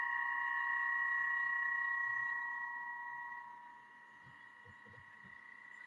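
A steady, piercing squeal near 1 and 2 kHz rings over the cut: chatter from a poorly clamped workpiece.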